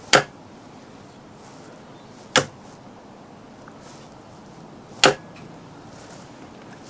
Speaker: clunking noise you can hear that is the contactor operating as i said it really is that simple